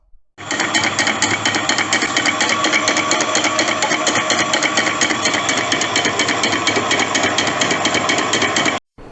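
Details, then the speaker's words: Small household water pump with an oil leak clattering with a loud, fast metallic knock because its oil has run low; fixed by refilling with new oil (leftover motorcycle engine oil can be used). "दरअसल यह आवाज motor से तेल कम हो जान की वजह से आई है जैसा की आप देख सकते हैं इस मोटर में तेल लीकेज का प्रॉब्लम है"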